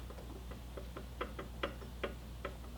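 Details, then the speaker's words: Mercedes C36 AMG M104 water pump pulley rocked by hand with engine off: uneven light clicks from about 1–2 mm of play, a worn water pump bearing that shouldn't sound like that. "so it's definitely not supposed to have that play in it it's probably a millimeter or two and uh that noise shouldn't sound like that"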